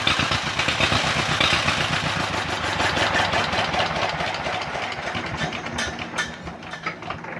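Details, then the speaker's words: 1949 John Deere MT two-cylinder tractor running rough with an uneven, stumbling beat, about 160 pulses a minute; misfire persists despite valve job and new carburetor; hissing heard at the intake gasket, runs better when sprayed with brake clean. "they've done all sorts of stuff trying to figure out why this thing has a misfire in it"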